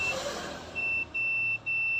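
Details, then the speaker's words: Analog multimeter continuity buzz on the Samsung J3 (2016) battery connector positive line, steady high tone in both probe directions, indicating a shorted component behind a dead phone. "ada bunyinya ada bunyi dengung kemudian kita putar caranya seperti ini kita putar balik masih ada bunyi dengungnya ya seharusnya ini tidak ada bunyi dengung tapi yang ini ada bunyi dengungnya berarti ini auto ada komponen yang short ya atau closet"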